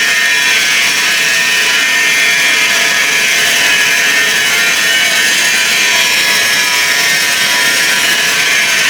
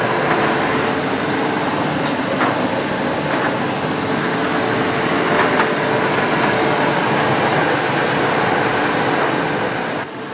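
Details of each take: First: Ariston tumble dryer, 8 kg Class A, running before belt removal: loud constant harsh high-pitched rushing scrape without rhythm; source unclear, possibly drum belt tensioner pulley or motor. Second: Ariston 8 kg Class A tumble dryer after replacing motor bearings, tested with wet cloths: even whoosh of air, faint steady hum and soft drum tumbling, no grinding or squeal; runs normally.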